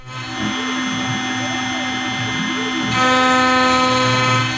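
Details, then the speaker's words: OpenBuilds MiniMill CNC router, early aluminum cut at 0.05 axial depth: high router whine with a harsh ringing tone that grows louder partway through; resonance chatter from the flexible frame. "doesn't sound great. And there's it's fairly slow, but it can definitely create some resonances."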